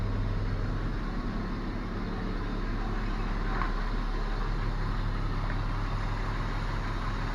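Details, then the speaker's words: BMW E34 after fitting replacement fuel pump for a loud droning pump: low, steady engine hum at idle, even beat, no knocks or misses, pump no longer humming; normal idle. "работает нормально вроде. Дубль 2. Не, ну тишина, все, ну. В натуре тишина."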